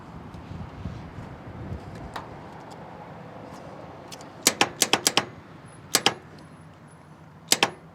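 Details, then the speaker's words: 1967 Ford F250 Camper Special, sat 39 years in the desert, starter triggered by jumper at the solenoid wire: sharp metallic clicks in pairs with no cranking. Solenoid clicks but starter won't turn; tapping the starter with a hammer later turned it briefly. "Nothing. Well, I hear the solenoid clicking, so I hope that it's okay."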